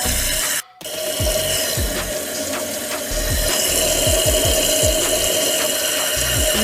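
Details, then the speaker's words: Toilet tank after fitting a new Fluidmaster PerforMAX 400CARP fill valve and flapper to fix a running toilet: a steady rushing hiss as the tank refills toward the old water line, with no squeal, chatter or hammering; the fill valve works normally. "You can see where the old water line was, so that's where it's supposed to fill up to. Hopefully it does."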